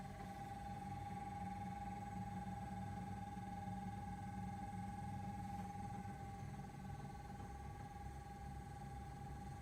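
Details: Brand-new Samsung RB31FERNDBC fridge freezer, loud from delivery and being replaced; steady loud drone with a sharp constant whine over a low hum, owner suspects fan bearings gone or the fan hitting something.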